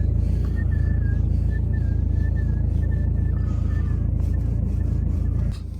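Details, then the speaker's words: BMW 3 Series E90 in winter, cold cabin just after starting: a thin, wavering squeak and whistle from the top of the steering column over the idle. It disappears once warm; a hardened or rubbing rubber seal is suspected. "Когда двигатель прогреется, звук исчезнет. Я не знаю, как это работает. В машине сейчас холодно, я только что сел, и такое бывает только когда в машине холодно."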